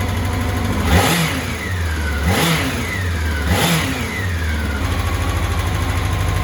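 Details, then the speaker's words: 1984 Honda CBX750 after engine rebuild and reinstall, hot start, first run: three clean throttle blips falling back to a steady even idle; running nicely, idle perhaps needs knocking down a little, some oil residue burning off. "very happy she's running quite [Music] nicely not too bad not too bad"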